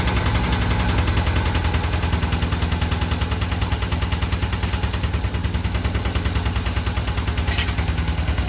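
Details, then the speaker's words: 2014 Hyundai Veloster Turbo engine, freshly rebuilt with machine shop work, at idle with the brake pedal plug unplugged: a hard, fast, even, deep metallic knock of about three per second, like a rod bearing; the owner suspects cylinder number two, possibly an overheated piston. "This is the sound that it's doing. We're thinking is a number two. Um, while it's doing that sound, um, for me, I think it's above heated piston or something like that."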